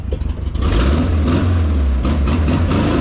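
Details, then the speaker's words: Freshly refreshed and reinstalled air-cooled flat-four in a 1968 VW Bay Window bus, first run with vacuum advance off for timing: a steady, slightly lumpy idle with no knocking; it runs fine while the idle is still being set. "sounds like an old air-cooled Volkswagen in there"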